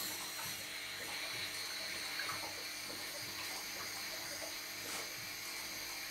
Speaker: the water gurgling noise that you can hear is the crank shaft driven water pump returning the water back to the tank because the bypass is open